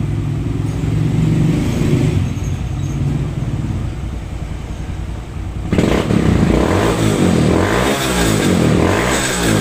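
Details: Raider J110 motorcycle that would not start, after repairing two broken wires and restoring the rectifier wiring to stock: runs with an even, steady beat and picks up cleanly when the throttle opens; healthy.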